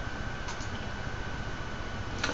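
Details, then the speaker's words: Fischertechnik model driven by a TXT controller: fast, steady ticking rattle over a thin motor whine, from gears somewhere in the drive not meshing correctly; the location is not yet found. "will hear the rattling because I still have minutes to find the place where their gears are not functioning correctly"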